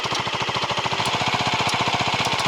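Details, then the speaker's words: Leonart Daytona 125 with the rear wheel raised and spinning in second gear: a fast, sharp slapping clatter as the chain hits the top of the chain guard. The chain looks suspiciously long. Earlier the owner suspected a bearing or the gearbox, since neutral is hard to find. "дубасит по щитку. Цепь дубасит по щитку цепи сверху."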